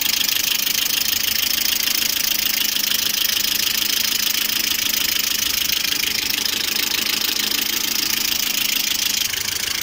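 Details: Lada Priora with 21126 engine at idle, about 90° temperature: light sharp valvetrain ticking about three per second, hydraulic lifters knock cold and hot; oil of various viscosities, new oil pickup and pan removal didn't help, cause unconfirmed.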